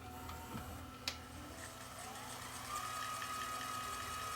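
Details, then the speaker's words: Sony CCD-TR94 camcorder that shuts down after a few seconds on play and has a clogged head giving a snowy picture. Tape transport in fast forward gives a light whir and soft whine with no grinding, though an odd noise was heard earlier; normal. "sounding okay but we have no picture if i show you guys the picture it's just snow or half snow"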